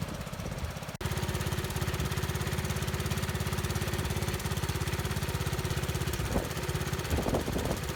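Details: 1970 Bolens 1253 garden tractor, single-cylinder, warmed up after first run in years on a drive: steady thump under load, revs climb sharply when load removed, possible governor problem; occasional blue smoke suggests valves may need work.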